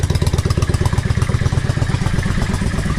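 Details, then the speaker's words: Yamaha XVS650 V-Star 650 V-twin, warm, idling near 1000 rpm after a #22.5 Mikuni pilot jet fit (120 main, needle 4th slot, cut slide spring): even, loping beat, unlaboured with no stumbles; sounds like it has more purpose, a healthy idle. "and the bike doesn't sound like it's struggling. That sounds fantastic. It really, really sounds like it's got a little bit more purpose."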